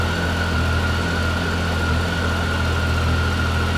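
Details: 2013 Triumph Tiger 800XC triple, 21,569 miles, hot after a 35-mile ride, fixed with a new OEM starter after a defective factory one. Smooth, even low idle with steady fan hum: normal hot idle.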